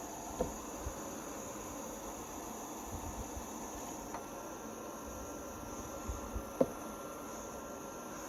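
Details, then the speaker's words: Blaupunkt air cooler on level 1: quiet, steady airy whir with faint constant high hiss, no knocks or rattles. A bit of noise, but no noisier than an oscillating fan; runs normally. "So I'm not sure how noisy this is coming across. There is a bit of noise. I'm not sure if that is something I would have on all night. But it's no noisier than an oscillating fan."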